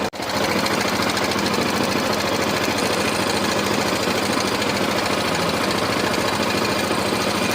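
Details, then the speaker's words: Yamaha FZ 2.0 motorcycle engine running; fast loose metallic rattle about three or four clatters a second, described as cam chain noise; mechanic suspects the cam chain tensor; cause suspected, not confirmed. "Oigan ese sonido, oigan. Puro sonido como de cadenilla."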